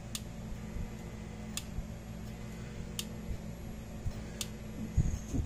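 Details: Parmak Solar Pak 6 fence charger with the bad battery bypassed and power supplied straight to it during bench testing; sharp single ticks about every one and a half seconds, pulsing normally.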